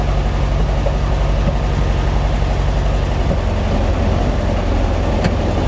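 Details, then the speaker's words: 1955 Porsche 356 Pre-A Speedster, stone cold, just started in neutral before tune-up: low, throbbing idle with an uneven, slightly stumbling beat; mostly smooth but not completely, likely carburetion. "how does it sound as it sounds smooth for the most part I mean it's stone cold of course doesn't sound too bad they're completely smooth though I think we can we can work on"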